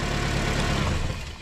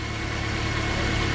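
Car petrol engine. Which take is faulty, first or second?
first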